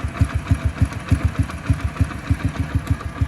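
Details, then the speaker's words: Hero Splendor single-cylinder idling after the timing chain noise was repaired: steady, even low thumps about three per second with no ticking or chain rattle. The engine is now silent and healthy. "Time engine के sound में आपको बिल्कुल भी आवाज नहीं आ रही होगी आप बिल्कुल चेक कर लो बकुल साइलेंट इंजन हो चुका"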